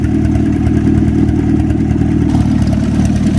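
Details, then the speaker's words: WWII-era Jeep flathead, likely an MB, revived after years sitting, clutch now working: steady even low putter at idle, no misses or knocks, after a minute to clear up; running beautifully. "at that. Just needed a minute for it to clear up. That is running beautiful."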